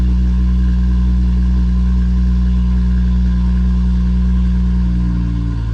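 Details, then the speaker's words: 2017 BMW M240i xDrive B58, 8-speed, cold start after Bootmod3 flex-fuel sensor kit install; a loud, steady, deep high idle that drops and quietens near the end as revs settle; starts without problem. "all right so as you can see and here it started up no problem it's idled down a little bit it's going to get quieter the exhaust valve is going to close in a second and then it's you're not going to hear it at all"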